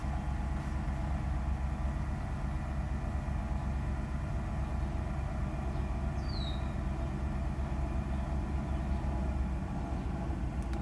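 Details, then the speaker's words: Mercedes S320, cold start after sitting about a week, original E-gas module and throttle actuator: steady even low rumble with no misses or knocks as idle settles to normal speed; normal idle. "here's our Idol gone down to normal idle speed after cold start and again the car hasn't been started in like maybe a week"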